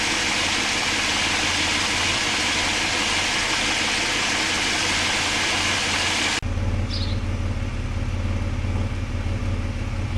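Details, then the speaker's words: Mitsubishi engine warm restart and idle after fixing fuel pressure loss that had caused long cranks and a rough idle, slight pressure loss remaining, squeaky alternator fading; smooth even idle with no hunting, healthy. "The squeaking's almost stopped now. Okay, let's shut it off. Started well for 3 weeks and still got a little bit of pressure loss in the fuel system, but we'll get it sorted."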